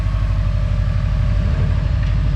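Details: Subaru 2.5 engine with 450,000 km idling steady, low and even with no knock after a failed timing-cover pulley/tensioner (NTN) causing knock was found and replaced.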